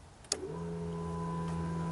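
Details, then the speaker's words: Used sport bike with salvage title, about 29,000 miles, running fine: a click at key-on, then a steady, smooth low electric hum as the fuel pump primes and shuts off once up to pressure; normal fuel pump priming. "And when it gets up to pressure, it shuts off. It's up to pressure."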